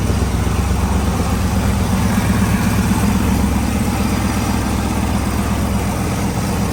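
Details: Newly built project car with hydraulic lifters and a tacked-in exhaust, first run: lumpy idle with loud open exhaust and a light metallic tick about three a second; owner suspects a lifter, a rocker out of adjustment, or loose header flange bolts.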